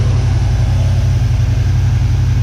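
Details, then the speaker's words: 1979 Chevy C10 V8 started after sitting 10+ years, run briefly with no belt via a jumper wire at the distributor: deep, smooth, even idle with no lifter noise and no blow-by from the oil filler; motor healthy. "Doesn't even have any lifter noise or nothing after sitting all that time."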